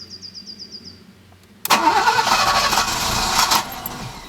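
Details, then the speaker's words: Alfa Romeo 90 standing 22 years, after a new fuel pump and coil: starter whirs about two seconds and the engine coughs but never catches; crank-no-start from clogged fuel injectors. "okay so after many attempts as you saw the thing still doesn't start"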